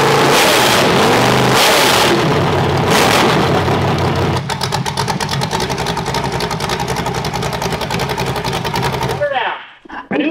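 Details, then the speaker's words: Newly delivered Collier Performance engine for a demolition derby build, freshly timed and tuned with distributor and fuel pump: catches and revs cleanly, then settles into a steady even firing beat before shutoff; sounds healthy, comparable to an LS. "It starts, it runs, it's timed, it's tuned, it's ready to go to the moon."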